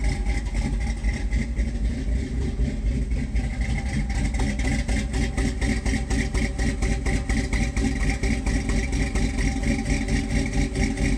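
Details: 1978 Ford F-150 4x4, 351M/400 V8, new Holley 4160 electric-choke carb, Edelbrock Performer intake, Hedman headers, Flowmaster duals, C6 automatic: rough lumpy cold-start idle that smooths out, because the choke releases too late; fixed by adjusting the choke to release sooner.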